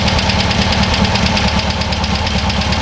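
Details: Freshly rebuilt air-cooled VW bus engine with dual carburetors, after mixture screw backed out just before idle drop: steady, even idle with quick regular pulse a bit over two per second; settled and running smooth.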